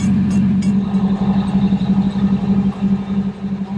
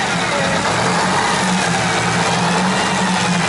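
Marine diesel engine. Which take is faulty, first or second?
second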